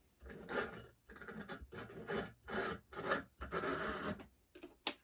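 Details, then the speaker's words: HO scale B unit model locomotive from an eBay lot on test track: repeated scratchy rasping bursts, no smooth hum; motor scraping and dragging, owner suspects it just needs a good cleaning. "sounds like it's trying to go yeah this thing might just need a good cleaning but it sounds like it's got some life left in it"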